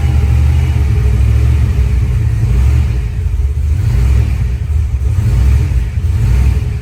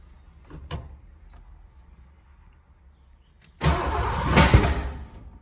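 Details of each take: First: 1986 Ford Mustang Foxbody after head work, new ARP intake bolts and corrected distributor wire order: deep even rumble swelling with throttle, no stumbling; runs good though new throttle body sticks and needs adjusting. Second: 1986 Ford Mustang Foxbody after head and intake work, new throttle body, distributor moved one tooth back: weak cranking, then a rough stumbling catch that flares and dies instead of settling; plug wires were in the wrong firing order.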